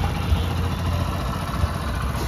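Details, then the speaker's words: Hero Honda Splendor single-cylinder bike after repair of fault that caused missing and stalling: steady, even low idle with no misses, knocks or hunting; starts easily and idles normally. "काफी बढ़िया से start भी हो रहा है आप कोई भी प्रॉब्लम नहीं है"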